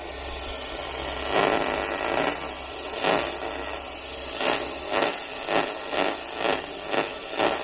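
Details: AC evaporator coil leak heard through an ultrasonic leak detector; soft hiss swelling in short, fairly regular bursts over steady static: small leak still detected.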